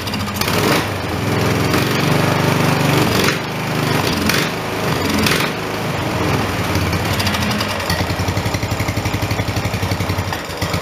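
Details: Briggs & Stratton 14.5 HP OHV engine after the spark plug was regapped, with the magneto noticed not square to the block: lumpy running, four sharp backfires, then slow labored cranking. Flywheel key later found intact and a new carburetor was tried; cause not found.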